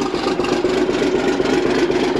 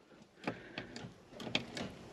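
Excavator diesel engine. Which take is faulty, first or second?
second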